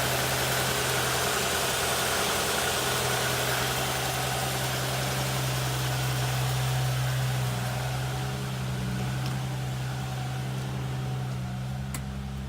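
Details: 1960 XK Ford Falcon, reportedly 71,000 original miles and never restored, idling after the carburetor fuel leak was fixed. A deep, even idle with a steady low pulse near 214 per minute and no misses or knocks. Normal idle.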